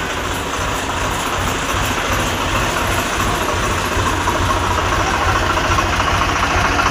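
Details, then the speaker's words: Swaraj 735 FE tractor diesel engine just started during oil change, before checking oil filter and air intake for leaks: steady, even chug at idle with no misses or knocks; normal idle. "బండి start చేద్దాం. బండి start అయింది."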